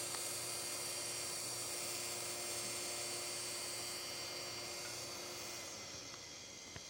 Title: CD drive making screeching sounds.